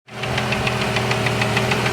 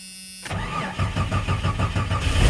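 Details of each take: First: 1989 Jeep Cherokee XJ, 4.6L stroker I6 (Renix 4.0L-based, aftermarket pistons), started knocking after 700 miles with temperatures running high: sharp steady knock about six or seven times a second over rough idle; piston slap. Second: 1989 Jeep Cherokee XJ, 4.6L inline-six stroker (Renix), after replacing one piston for piston slap knock that began after 700 miles: cranks about two seconds, fires, flares, then smooth steady idle with no knocking.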